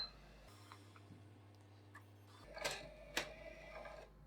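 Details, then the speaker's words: Sony PlayStation 5 bought as not reading discs, after reassembly: drive motor hum about two seconds then soft clicks as disc ejects. Normal disc eject. "it comes out fine let's try again alright sounds like it's struggling but maybe it just sounds like that anyway"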